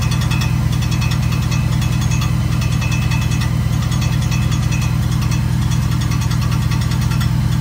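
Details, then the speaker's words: 2009 Chevrolet Silverado 4.8, ticking at startup, recorded underneath at bell housing: light metallic tapping about 2.5 per second over steady idle, seeming to come from bell housing but actually a worn starter whose drive falls forward and hits the flywheel; starter replaced. "now on first inspection you would think that it's coming from the bell housing uh right at the bottom that's what it sounds like but upon further investigation we see that it's actually the starter"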